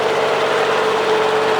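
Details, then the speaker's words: Cub Cadet 3050 four-wheel-drive at full steering lock after relinking steering knuckles equally: steady even hum, no knock; the side that used to rattle badly no longer rattles. "this is turning the max the other way. It's doing fine. That's the way it used to rattle on that side. That's the side used to rattle pretty bad, but it ain't rattling no more."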